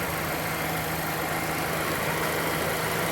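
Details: Mazda Demio after maintenance, with monotensioner rattle just corrected: even, steady idle with constant low drone and no rattle or chatter; healthy engine.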